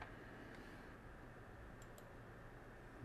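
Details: 160GB Seagate hard drive after cleaning slightly contaminated head assembly, previously clicking like a typewriter: quiet steady whir with no clicking or chattering; drive spins up, becomes ready and runs normally.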